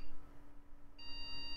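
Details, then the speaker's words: 2000s Micron ClientPro PC at first power-on test: a single long, steady beep in a slow series, indicating a RAM fault despite RAM edge connectors already cleaned; recleaning them fixed it. "slow beeping that's Ram you know I had already cleaned these Edge connectors preemptively guess I just didn't do a good enough job"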